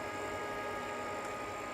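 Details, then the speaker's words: Glowforge Plus laser cutter bought as not working, powered up with its liquid-cooling pump low on fluid and purging air: steady airy whoosh with a faint constant hum from the fans, no ticking or rubbing; normal fan running. "Hear some fans running. Sounds like they're wiring the power supply."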